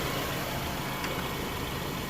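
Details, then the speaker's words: 2017 Subaru Forester after AC compressor replacement, idling with AC on full blast while charging R134a through low port: compressor clutch engaged, steady even idle, no knocking, rattle or squeal; new compressor operating normally. "Alright, so there we go. Now we're starting to build some pressure. AC clutch is on."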